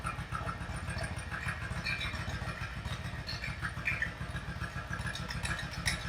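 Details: Yamaha V Star 1100 V-twin bobber during carburettor mixture adjustment: lumpy, uneven idle with irregular loping pulses and hesitation between beats; rough running from incorrect mixture.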